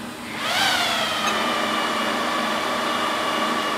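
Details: HP/Compaq DL380 G4 server with 2004-era 146GB 10k RPM drives, rebooting: whoosh of air, then a high steady whine that sags slowly in pitch as the drives spin down.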